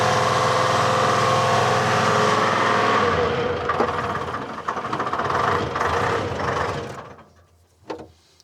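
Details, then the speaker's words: Telehandler with swapped Detroit Diesel 3-53 two-stroke, suspected algae-contaminated fuel, before filter conversion: almost starts without ether, then catches on ether, runs rough a few seconds, sags and dies, won't idle; hard starting. "She does not want to idle. Color me impressed. That's actually almost started without ether."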